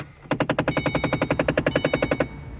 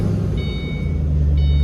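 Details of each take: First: 2005-09 Ford Mustang, on turning on the car: rapid, even knocking behind the dashboard, about eleven pops a second, likely from the faulty AC floor door actuator motor behind the HVAC unit. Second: 2005-09 Ford Mustang just started after replacing the AC floor door actuator behind the dash: steady low engine hum and two chimes, with no knocking. Fixed.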